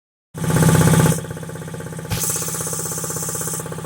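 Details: Quincy QT-5 (QT5) compressor pump, first run after rebuild: fires up and settles into an even, rapid chuffing about four beats a second with no knocks; runs healthy.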